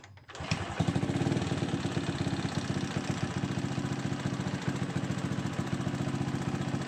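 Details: Honda Supra X 125 after a fix for a clacking noise; starts quickly and settles into an even single-cylinder putter with no tapping. Normal idle.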